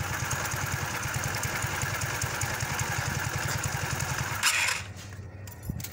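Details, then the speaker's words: Kymco 125 fuel-injected scooter, engine control unit suspected faulty: small single idles with lumpy, uneven beat then nearly dies; owner suspects too much air and too little fuel, cause not confirmed. "fa strano ma va malissimo troppa ai e poca benzina ma lana degenti da regolare equa carburatore"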